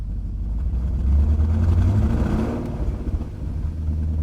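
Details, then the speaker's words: 1998 BMW 740i E38 after a fuel pump replacement, fuel pressure at 40 psi, O2 sensors removed so the exhaust is loud. A deep rumble swells cleanly on throttle and falls back with no stumble; the fault is fixed. "She doesn't stumble. The sound you're hearing, those are the O2 sensors that I've removed."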